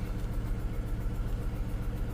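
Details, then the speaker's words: Skoda Fabia (year unknown) with check-engine light and a misfire code, still missing on cylinder 1 after swapping spark plugs and coils: uneven idle stumbling in a steady beat. "давайте перейдемо в параметри і глянемо по параметрам які у нас циліндр не працює як бачимо У нас знову первий не працює"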